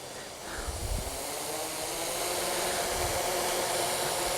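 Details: Hexacopter 550 (NAZA V2) held down by foot at idle in manual mode: even airy prop whoosh at low throttle, no surging or stutter; motors idle smoothly despite up-and-down throttle issue when flown.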